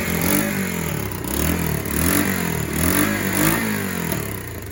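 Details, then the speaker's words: Kawasaki KLF300 Bayou 4x4 ATV, choke off, after swapping spark plug, plug cable and coil: higher tick-over, single revs rise and fall with sharp pops. Now afterfiring in the exhaust, unlike the earlier intake backfire. "That's actually igniting in the exhaust. That's not a backfire."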